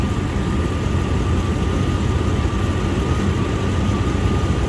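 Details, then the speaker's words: 1999 Dodge Durango SLT after correcting swapped plug wires and refueling, warming up with good oil pressure and charging; smooth, even low idle rumble with no ticking or knocking: normal idle. "let's listen I don't hear it sounds pretty normal to me"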